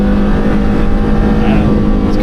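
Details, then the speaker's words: Porsche Carrera GT V10 after recall work, first drive: smooth strong note that climbs quickly as it revs freely like a motorbike, which the driver thinks may be down to having next to no flywheel; a healthy, crisp-revving engine. "It just revs so freely because you've got that you've got like no flywheel, I think it is."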